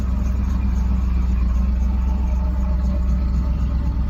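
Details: 1991 Camaro V8, cold start after sitting a while, newly done exhaust: deep even burble, roughly four pulses a second, no ticking or knocking.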